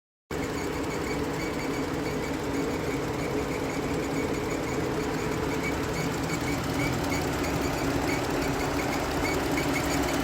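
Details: Jeep Grand Cherokee at 35,000 km under warranty, after the belt and pulley were replaced: steady idle hum with a faint fast uneven ticking whir on top; the noise persists and its root cause remains unidentified.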